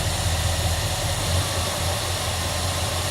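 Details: Dodge Monaco V8 after new plugs, distributor cap, rotor arm and leads and ignition timing set; even, full rumble with no stumble or misfire, engine runs smoothly.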